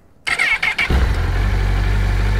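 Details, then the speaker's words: Honda CBF 1000 four-cylinder motorcycle, older battery: starter whirs under a second, then the engine catches at once and settles to an even, steady idle; normal healthy start. "vous voyez, la batterie n'est pas de toute première jeunesse, mais ça démarre sans problème, hein, quand même."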